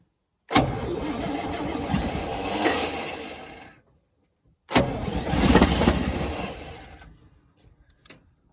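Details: 1963 International Loadstar 1800, first start in 20+ years, on 2-stroke mixed gas: two bursts of steady starter cranking, about four turns a second, and it never catches. Suspected lack of fuel in the carburetor bowl, not confirmed.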